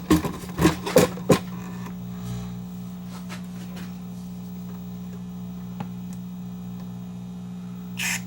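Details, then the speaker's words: Peavey Minx 110 bass amp after contact cleaner on the input jack: four sharp crackling pops over a steady low hum, then quiet hum; the jack is still noisy, a dirty or cracked-solder jack is suspected. "[Music] cleaner plug is still kind of noisy we give that another shot give that another shot of cleaner see if we can get that uh plug to clean up a bit"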